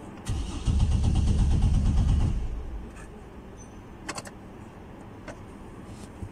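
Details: 2009 Chevrolet Trailblazer, PCM fuse always blown; about two seconds of even cranking, no firing; crank no start traced to grounded/shorted fuel pump circuit.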